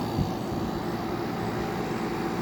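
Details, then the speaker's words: Circa-1985 White-Westinghouse (WCI) 5k window air conditioner with rotary (Sanyo-type) compressor: low smooth hum with soft airy rush, no rattles or clicks; almost dead silent, normal running. "these are almost dead silent and if you want an air conditioner that just that's just quiet for a bedroom this is the compressor you want to get"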